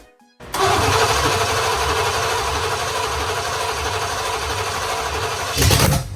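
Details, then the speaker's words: Home-rebuilt 1987 Caprice 305 small-block Chevy on its first start, gravity-fed carb, running on open ceramic-coated headers: fires instantly and runs loud and raspy at a steady speed for about five seconds, then shuts off cleanly. "So running it with open headers kind of made a lot of noise, and my daughter wanted to come out, so did my wife, to try to hear the engine run for the first time."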